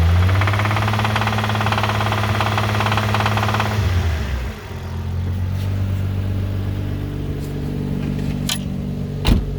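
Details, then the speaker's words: Infiniti G35 at about 2,000 rpm under slight load: engine pulls up then settles with a steady low knock about four times a second, absent without load; owner unsure whether rod knock, starter or transmission. "So I'm thinking that it could be a starter thing, transmission thing, but it doesn't really sound like rod knock. I mean, it sounds like rod knock, but I'm not sure."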